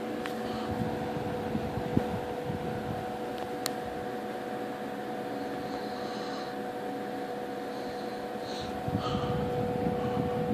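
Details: 1958 General Electric twin window/box fan, restored and repainted, started on high after switching speeds: constant smooth hum with steady motor tone and airy rush, no rattles, scraping or wobble; normal fan running.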